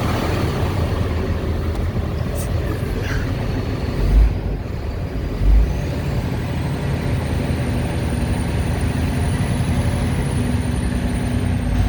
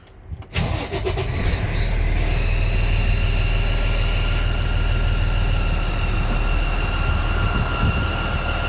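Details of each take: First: Freightliner M2 106 Cummins diesel after the squeal repair: deep rumble with clean turbo whistle rising smoothly then easing off; normal turbo spool, squeal gone. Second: Freightliner M2 106 Business Class with Cummins diesel, loud squeal; starts and settles to fast idle with a steady high whistle over the rumble; black soot at cylinder 2 manifold flange: exhaust manifold gasket leak.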